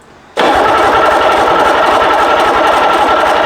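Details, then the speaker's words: Rebuilt BMW D190 marine diesel, previously seized and sunk, first start attempt: new starter churns with even compression pulses, nothing catches; engine full of oil, no water or ancillaries fitted, injector lines cracked for bleeding; cranking without firing. "It is full of oil. It will take some cranking."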